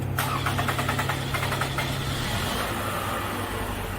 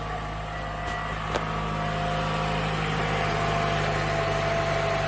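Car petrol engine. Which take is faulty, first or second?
first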